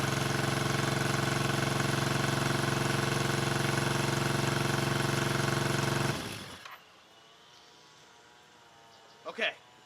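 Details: 1974 Honda CB350F four after 20+ years sitting, after the No. 3 carb blockage work, fast idling around 1200 rpm: steady pulsing idle for six seconds, then it shuts off. Only cylinders 2 and 4 fire; the owner suspects fuel, unconfirmed.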